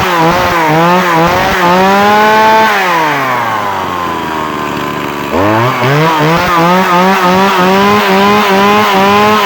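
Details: Two-stroke chainsaw after a starting-problem repair (new spark plug fitted, air filter cleaned): buzz revs up, drops to a low idle around four seconds, then climbs back crisply; the saw now runs clean and strong.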